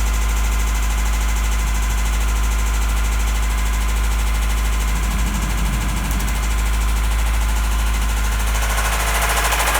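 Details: 1993 Toyota Celica 5S-FE run out of oil, starting after sitting for 5 months: idle with a deep, uneven rod knock about three times a second and a light valvetrain clatter on top.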